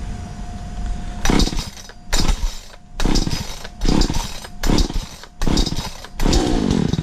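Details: Stark Chinese chainsaw after ignition coil replacement, test run: idles steadily, then about six sharp throttle blips falling back cleanly each time; the saw is running healthy.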